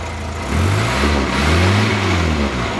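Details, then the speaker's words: Morris Minor split-screen convertible with recently reconditioned unleaded head: smooth, even revs rising and falling cleanly with crisp exhaust note, no tapping or misfire; sweet, healthy running. "a very sweet sounding engine recently reconditioned unleaded head and in every sense ready to go"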